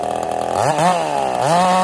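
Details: Ported Husqvarna 55 chainsaw: screams, pitch sags under the cut and climbs back without reaching full revs; lost over 1,000 RPM in about half a tank, new coil didn't help.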